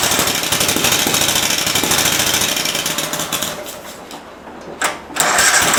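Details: Cub Cadet mower engine after carb screw refit, PTO engaged spinning blades; busy clatter that sags and stumbles then picks up, an intermittent miss. Owner suspects fuel starvation, a leaking fuel solenoid sucking air, or a bad coil; unresolved.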